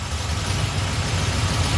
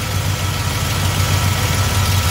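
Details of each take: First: Small-block Chevy V8 with Edelbrock carburetor after idle mixture screws adjusted, before timing set: steady even low rumble, no hunting or stumble; normal idle, mixture sounds right. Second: Small-block Chevy V8 with Edelbrock carburetor at idle, distributor rotated counterclockwise to retard timing from 8 degrees; deep steady rumble, slow and lazy with no misses; idle drops from retarded ignition timing.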